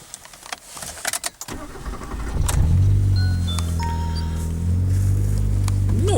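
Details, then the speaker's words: Engine idling about 10 minutes after belt conditioner spray was applied to a squealing alternator belt and pulleys. It starts after some key rattle and settles into a smooth, low idle with no belt squeal. This is a temporary fix, and the belt should still be replaced. "этого, вероятно, даже не будет слышно, и я уверен, что вечером тоже не будет никакого скрипа . Это очень помогает ."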